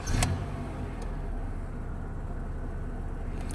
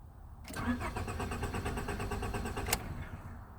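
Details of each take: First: 1998 Honda Accord that cranked but wouldn't start, traced to a bad original key chip (immobilizer light blinking), not timing belt; with new key, quick catch then steady even low idle, starts normally. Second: 1998 Honda Accord with the original key, security light blinking: steady starter cranking for about two seconds that never catches. Immobilizer blocks the start because the key isn't recognised; one mechanic had blamed the crank sensor. Crank, no start.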